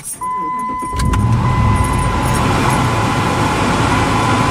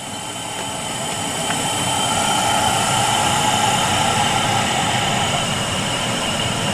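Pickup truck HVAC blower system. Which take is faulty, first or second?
second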